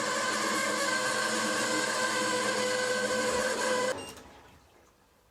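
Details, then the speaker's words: Fisher & Paykel SmartDrive washer draining on spin or rinse: loud, shrill, pulsing squeal or squawk from the drain pump's dry shaft bushings, fixed with a squirt of CRC lubricant. "if your washing machine is making an awful squealing noise on the spin or the rinse like this"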